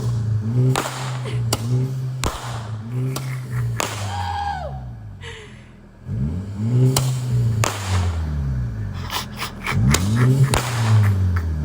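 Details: Mk6 VW Golf GTI: engine blips up and down, with sharp cracks and pops from the exhaust as revs fall off; overrun popping, cause unknown.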